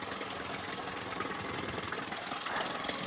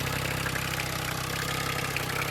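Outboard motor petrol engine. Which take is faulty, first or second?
second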